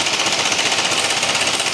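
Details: BMW C1 200 scooter engine: a fast, hard, even clattering knock, about fourteen hits a second, hammering through the engine note. A heavy mechanical engine knock of unknown cause.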